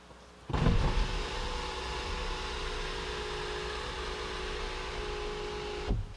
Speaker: 작성은 같은 경우는 썬루프가 열리는 소린데 한번 들어 보시도록 할게요